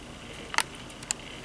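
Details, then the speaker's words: Old hard drive on a Unitek USB 3.0 to IDE/SATA adapter with 12V/2A power, connected via SATA: faint steady high whine with a couple of soft head ticks as it spins up; normal spin-up and seek. "okay there it is that sound it is opening"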